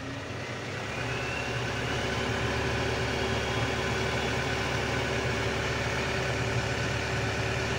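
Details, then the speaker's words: Mitsubishi Canter Euro 4 diesel truck at idle: turning the idle-adjust knob, a potentiometer or variable resistor, raises rpm without the throttle pedal, so the idle steps up and settles into a faster, steady drone. "Itu rpm nya sungainya banyak ya seperti ini"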